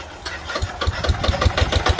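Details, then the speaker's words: Old Japanese Yanmar 7 hp single-cylinder diesel on a trencher, just started: slow, even thumping firing pulses settling to a steady beat; starts easily and idles normally, all systems working. "ลองสตาร์ทดูมีระบบใช้งานได้หมดแล้วครับ"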